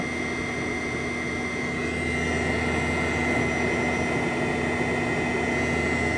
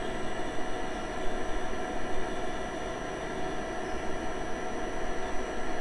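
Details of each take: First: 2004 Land Rover Freelander 1 TD4 Webasto Thermo Top C fuel-burning heater, reassembled and bench-powered: steady fan whir with a whine and fuel pump ticks every quarter second. It never ignites; glow plug or fuel priming suspected. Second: Webasto Thermo Top C fuel-burning heater on a 2004 Land Rover Freelander 1 TD4 diesel. After the carbon gunk was cleared from the combustion chamber, the fan gives an even, steady roar with a faint whine and no stutter. The heater now runs on longer after ignition, which is normal.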